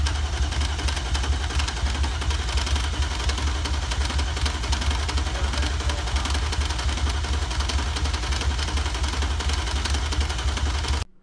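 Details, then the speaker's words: BMW E39 M5 during rebuild, freshly installed engine cranking without starting, filmed at shop; heavy uneven rhythmic thumping about one to two knocks a second; narrator suspects multiple failed connecting rod bearings, unconfirmed — knocking while cranking. "this is again no engine starting just turning over it sounds very scary it sounds like multiple um connecting rod bearings have failed and the Pistons are slamming all over the place in there"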